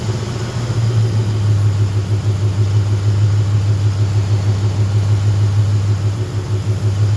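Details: Car just restarted after fitting an idle air control valve with a hand-cut gasket: steady low idle drone with slightly uneven, wavering pulse. Runs rough; owner reports it running too lean, cause not pinned down.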